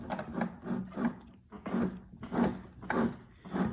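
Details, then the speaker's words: Three-year-old Kenmore (Sears) washing machine, sealed bearing and drive shaft gearcase turned by hand: dry, scraping rub in bursts with each turn; at high spin speed it sounds like an aircraft taking off; worn gearcase bearing, replaced with a new unit. "hear the rubbing sound there when that gets spinning at high speeds it sounds like an aircraft or helicopter taking off"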